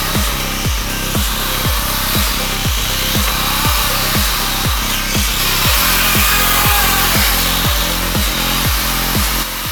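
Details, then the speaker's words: ZD Racing RX12 RC rally car on a hot lap: harsh, gritty grinding over the motor whine, surging about twice a second, as the spur gear destroys itself. "And our session came to a grinding halt. As it turns out, that sound was the spurgeear destroying itself."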